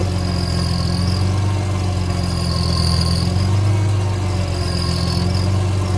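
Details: 2005 BMW E46 M3 at hot idle while the steering wheel is rocked: low hum with a recurring high whine swelling and fading about every two seconds; occurs only when hot, sometimes without steering; cause unknown.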